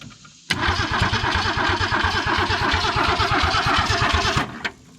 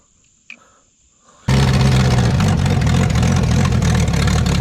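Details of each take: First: Abandoned 1966 Ford Mustang 200 six, carburetor dry, cranked after squirting a little gas down the carb. Steady cranking around three turns a second with scattered pops but no catch; fuel probably not yet pumped up. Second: Abandoned 1966 Ford Mustang, with new ignition parts; the coil had been installed backwards. Sudden loud start, then a steady, even low drone with no misses or knocks, running by itself and settling into a smooth idle.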